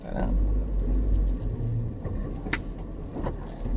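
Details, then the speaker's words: Car with plated Cusco RS 1.5-way LSD, 4.55 final drive, about 1,000 km street driving: low drivetrain rumble with sharp irregular clunks while cornering; clunky limited-slip differential. "But basically, interestingly, I don't know if you can hear it, but when I turn a corner, the diff is still pretty clunky even after I think 1,000 kilometers or so of street driving."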